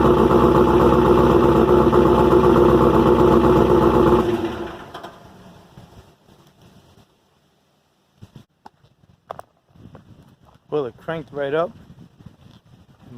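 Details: Rebuilt engine first cold start with stock pushrods, thin 0.027-inch intake gasket and new lifters: loud running with sharp regular tapping about four times a second; ticking owner thinks is excessive valve noise, cause unsure, loud exhaust too.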